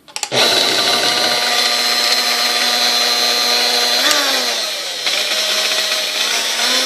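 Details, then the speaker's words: Sunbeam Mixmaster 1-7A stand mixer, well used, broken in shipping, first powered before service: high steady motor whine with a rough buzz that dips and shifts pitch around four seconds; odd start-up noise, cause unclear (resistor later found out of range). "all right so as you hear it's kind of like a strange issue when you first turn it on but that could be because this is all busted up to it"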